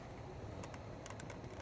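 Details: 2006 Toyota Sienna: continuous sharp light clicks over a low cabin hum from the temperature mode door actuator behind the glove box, whenever the passenger dial is at 75°F or below, fan on or off; stops at 76°F or higher.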